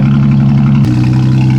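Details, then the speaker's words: 2012 Dodge Grand Caravan, first start during cheap turbo kit install, running without intake fitted, cold with smoking exhaust and check engine light: deep steady drone that drops in pitch and settles; idle hunting, PCV heard opening and closing. "This poor thing's trying to figure out how to idle with no intake on it. You can hear the PCB opening and closing."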